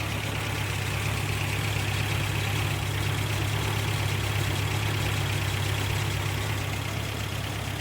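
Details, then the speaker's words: 1988 Toyota Pickup 22R, Aisin carburetor, after timing chain, water pump and oil pump replacement: steady even low idle, no misses, knocks or ticking; earlier kept shutting off, now running fine, normal idle. "i'm doing fine now kept shutting off earlier it's been really good actually"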